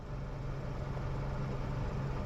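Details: 2012 Kia Optima four-cylinder after fixing a no-start by working the gear selector back and forth with the ignition on. Quiet, even low hum at a steady idle with no misses or knocks: normal idle.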